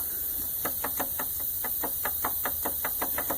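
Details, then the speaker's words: 1998 Pontiac Grand Prix GTP supercharged engine at idle gives a sharp, slightly uneven knock about twice a second, rod-knock or wrist-pin-like, from a worn supercharger coupler, before replacement. "it does sound like a rod knockin or somewhere in the lines of maybe a wrist pin acting up or something to sound like that"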